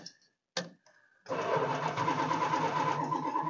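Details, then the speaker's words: Old motor home Mopar 440 V8 on a swapped-in battery, sitting with old gas: after a few short clunks, brisk, even churning at about three turns a second; starter spins the engine over fast, normally. "oh she's cranking fast too oh yeah roll that out"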